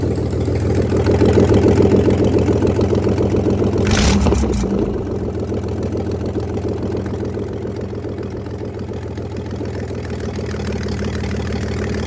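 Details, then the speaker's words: Inboard/outboard boat engine, primed, started with no exhaust manifold fitted (timing uncertain): catches and settles into a fast, even, very loud open-port crackle at idle, normal running without exhaust manifold. "hopefully we'll hear some plucka plucker pluck pluck up cuz it's going to be very loud because it doesn't have an exhaust manifold but I just want to you know start it up and see if it runs"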